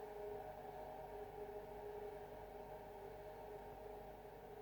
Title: Haier fridge weird noise